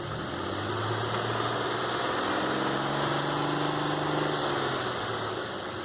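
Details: 2005 Nissan Xterra VQ40DE V6 after replacing timing chains, guides and all three tensioners (chain not getting proper tension and slapping blamed for the noise); smooth, even idle with steady low hum, no rattle or tapping; normal idle.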